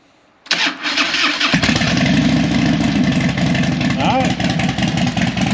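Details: Harley Dyna after fixing a fuel leak, fuel pump primed, in neutral. It cranks briefly, catches cleanly and settles into an even, loping V-twin idle with no misfire. Normal start and idle.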